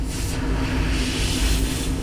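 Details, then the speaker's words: AAON 18-ton packaged rooftop unit running, one of two circuits previously found flat of refrigerant, unit at 50% capacity: a loud, steady hiss rides over the constant hum as refrigerant escapes fast through a hole in a pipe bend, not a fitting. "Something's leaking here, man. Got it. Big leak."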